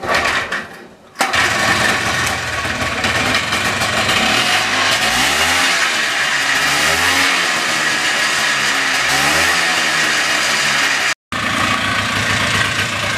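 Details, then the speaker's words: Polaris Xplorer two-stroke after fixing an oil leak that starved it of 2-cycle oil for 21 years, started with a pull: it catches, revs cleanly, then holds a crisp steady idle; normal start and idle. "testing time he sounds good not gonna lie that may be the first time that actual like two-stroke smoke has come out of the back of that thing [Music] that is by far the best she's ever run buddy by far"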